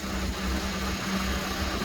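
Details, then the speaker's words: Boat Westerbeke diesel generator after fresh water pump replacement, charging batteries at about 200 amps: steady diesel drone, even hum, no knocks or misses; normal running under charge load. "See if it's good. Generator sounds good. Good to draw on."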